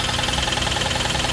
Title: 2016 Ford Explorer 3.7l Engine Knocking warranty claim Inspection Video clip